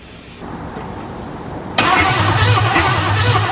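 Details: Cadillac 350 V8 after the distributor was reseated with the rotor pointing at number one cylinder, on a first start attempt: steady starter churning at about three to four beats a second with no firing. It cranks but won't start.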